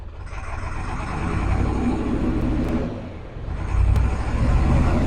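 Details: Ford 7.3 Powerstroke diesel after injector work, idling and warming up: deep rumble surging and sagging instead of a steady beat; rough idle still present after codes were cleared, owner suspects half the engine may not be firing.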